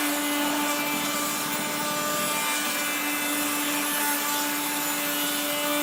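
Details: 1970s blue Regina Electrikbroom 3-speed vacuum, just arrived, vacuuming a floor. The motor and fan are dry after someone washed it. A steady motor hum sits under a harsh, scratchy grinding that never lets up: dry motor bearings.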